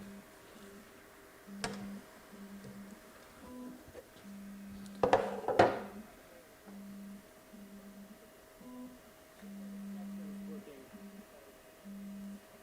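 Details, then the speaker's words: Creality K1C 3D printer during first auto-leveling: stepper motors hum in short bursts broken by sharp knocks as a part still rubs and knocks against the lid. "oh this thing still rubs on here I can hear it Knocking the lid"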